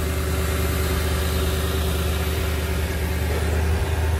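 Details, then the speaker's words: 2016 Toyota Tundra, about 70,000 miles, at Copart auction: deep steady idle rumble with no knocks, misses or hunting; healthy, no check engine light, AC working. "sounds good no check engine light"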